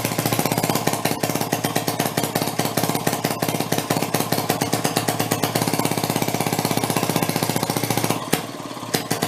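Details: 1937 Maytag two-stroke washing-machine engine: switched from closed to open, uneven sputtering pops, irregular instead of a steady beat, kicking out a lot of fire; engine breaking up, owner hopes rings aren't burning up.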